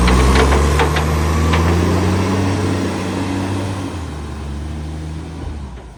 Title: BSR800 Exhaust Leak